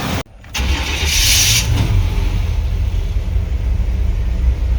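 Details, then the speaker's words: 1995 Chevy C1500 Silverado with swapped-in TBI 350: short crank with no starter grinding after a shim was added to the starter, then catches and settles into a slightly jumpy low idle it has always had; normal start. "starting up it's idling a little jumpy has pretty much always done that so at least it is running again starter ain't grinding"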